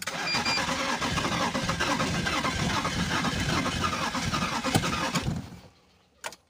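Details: BMW Z3 six-cylinder that sat for a long time: starter cranks the engine with a rough, pulsing churn for about five seconds but it never fires; cylinder six ignition coil suspected.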